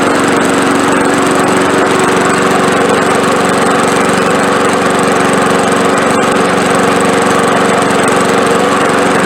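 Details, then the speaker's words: Old push mower with 5.5 hp Briggs engine running after carburetor cleaning to fix surging and skipping; steady, loud, unwavering drone at constant speed with no surging or skipping, running evenly. "so so there you go that's about as good as you can expect a free push mower to run"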